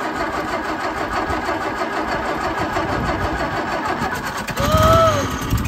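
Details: Hillman Minx first start: fires readily and effortlessly, settling into a steady, even idle with no knocks or misses. Sounds healthy; normal start and idle.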